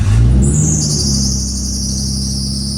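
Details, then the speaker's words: Nissan R34 Skyline GTT after a manual swap to the R34 Neo 5-speed gearbox, first start after rewiring: quick rev on firing, then an even, steady idle with a fading high whistle; exhaust sounds good, runs normally. "Hey, she runs. The exhaust sounds good."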